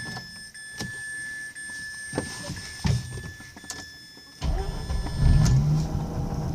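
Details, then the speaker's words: 2005 Mazda RX-8 cold start after sitting about a day and a half, following earlier rough idle, flashing cel and white smoke: quick catch and steady idle with no roughness or vibration; owner suspects coils, coolant seal leak doubted. "as you see it start off right away and today I'm not getting a rough idle no vibrations"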